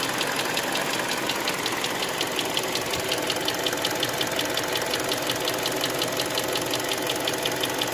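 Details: Hyundai Creta 2.0 warmed-up engine at idle: sharp, light, steady ticking near three per second; intermittent knock, present one day and absent another, cause unknown to owner.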